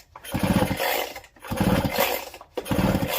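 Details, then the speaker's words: Husqvarna 365 Special chainsaw pulled waterlogged from a drainage ditch, spark plug out, pull-started to check: three even pulls, each a quick run of fast ticks turning over smoothly; engine turns freely, not seized. "engine is actually free okay well we might not be looking too bad here after all this might be an easier repair than uh than i was expecting"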